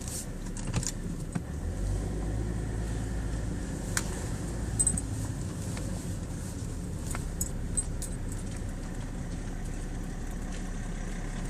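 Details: BMW E60: sharp metallic knocks from the steering column over a steady idling engine while turning the steering wheel; cause was low power steering fluid.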